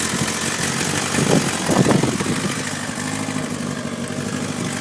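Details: 2011 Kawasaki ZX-10R, 4,000 km, at idle with a couple of blips: light metallic rattle over the busy four-cylinder idle, also at 4000-4500 rpm; worn cam chain tensioner, sound gone after replacement.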